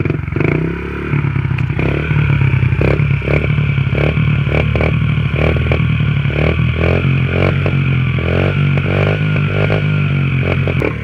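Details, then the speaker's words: Honda XR50 pit bike after fitting an aftermarket exhaust pipe: the small single revs up and settles with a crisp popping exhaust note and rattly bursts on throttle, sounding better than the stock pipe; normal running. "Sounds definitely better."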